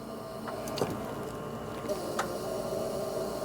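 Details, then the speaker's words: 39-year-old Ford F150 crank-no-start: sharp isolated clicks over faint hum each time the fuel pump relay circuit wires are back-probed with a test light; cause unclear. "I don't know if you heard that do you hear that Matt so every time I back probe"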